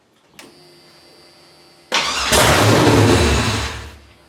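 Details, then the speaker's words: LS engine swapped into Ford LTD/Mercury Marquis with T56 manual, first crank: click then sustained cranking that never fires; suspected passlock/security active needing tuner, oil pressure checked while cranking; crank no start. "all right we're going to try to crank it uh if it runs it runs we don't think it's going to run because we think the pass lack is on here"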